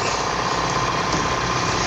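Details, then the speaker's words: Air compressor after fitting a new belt, with oil and motor bearings already checked: smooth continuous hum with an even pump beat and no squeal or slapping; the run is now steady and no longer noisy. "Ayun ang ginawa namin nagpalit kami ng belt ayan nakita niyo y medyo tuloy-tuloy na yung Andal niya hindi Sia maingay"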